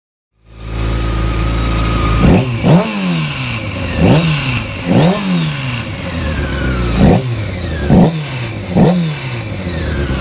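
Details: 2001 Honda F4i motorcycle engine idling and blipped about nine times, with a mechanical rattle from a bad cam chain tensioner.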